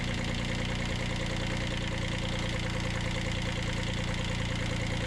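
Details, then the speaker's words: 1991 Kubota B7100 HST diesel after fuel filter change: knocks along at steady slightly uneven beat, about three per second, sucking air into the fuel line; later bled at bleed screws. "And go ahead and start it up. Watch it suck a bunch of air."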